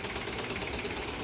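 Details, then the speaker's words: 2015 Kia Soul 1.6L, still running: steady idle with a very loud sharp knock about eight times a second from the lower bottom of the engine; rod knock from rod bearing and piston failure. "so that's coming from the lower bottom of the engine as you can hear I'm gonna cut it off because um I don't want it to"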